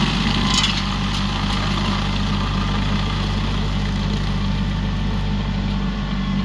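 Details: Used 2018 Woodland Mills WG24 3-point stump grinder on a tractor PTO (run below the rated 540), grinding a beech stump: steady deep tractor drone with an even gritty chipping rush, no knocks or surging; cutting normally, a couple of teeth possibly dull.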